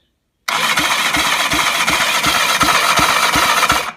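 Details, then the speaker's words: BSA Fury SS (E35SS) starter motor final test with new, more powerful battery, spark plug fitted: steady whirring starter with sharp pops about three per second; normal starter cranking with firing pops. "And there you can hear it popping."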